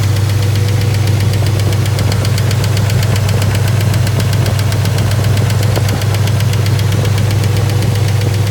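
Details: 1955 Packard V8 after lifter replacement: steady idle with a light, even ticking of about four taps a second over the rumble; lifter tick remains.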